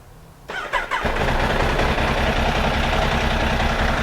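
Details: Benelli 899 TnT motorcycle after clearing the check-engine light, caused by a pinched O-ring on the injector 1 connector: short crank, then it catches at once and settles into a quick, even idle with no stumbling; healthy start.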